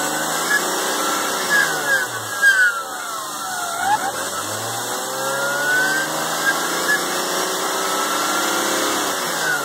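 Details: BMW E36 M3 running with a steady high whine over the engine that wavers with small speed changes. A new alternator didn't help; replacing the main tensioner and idler pulley cured it. The removed pulley spun rough by hand, so its bearing was worn.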